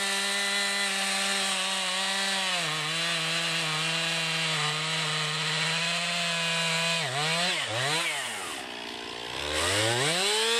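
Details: 2020 Stihl MS261, non-M-Tronic carbureted, 20-inch bar, cutting a freshly felled green pine about 1.5 ft round with a straight cut and plunge cut: steady high revs dip and recover as the chain bites the soft pine; pulls strongly, normal cutting under load.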